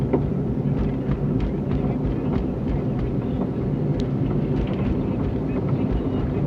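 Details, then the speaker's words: 2001 Cadillac Seville driving straight, not turning: light, irregular clunks through steady road rumble, alongside a grinding "woo" the owner attributes to wheel bearings after a wiggle test; clunk cause unknown. "So I'm pretty sure it's the wheel bearings, but I'm also hearing this clunking noise. I'm not turning, I'm just driving."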